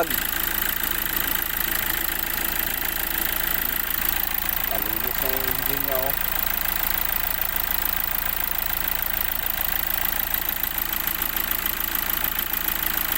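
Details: Hyundai Accent CRDi diesel that cranked but wouldn't start, after the CP1 pump fix: steady, even idle clatter with no misses or knocks, only a brief background chirp. Idling normally.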